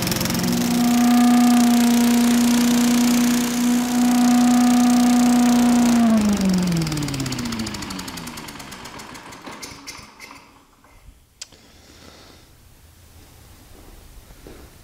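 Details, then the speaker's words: Sears Chipper Vac small engine after fan blade welding, deck repair and carburetor clean/float fix; steady, fairly high-pitched even drone then smooth spin-down at shutoff; owner thinks RPMs may be somewhat high, otherwise running fine. "going to check the RPMs on that and it just may be the way it is but this sounds like they're kind of high but other than that this thing's ready to go"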